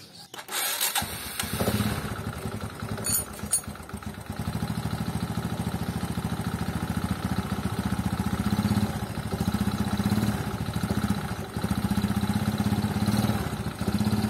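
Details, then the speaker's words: Honda Supra motorcycle with oil consumption: engine starts and settles into a steady idle with a coarse, clattery edge; roughness not increasing over time, considered normal, no repair needed. "apalagi suara mesinnya itu walaupun kasar tidak bertambah secara signifikan dengan berjalannya waktu banyak suara-suara mesin tuh yang normal yang tidak perlu diperbaiki"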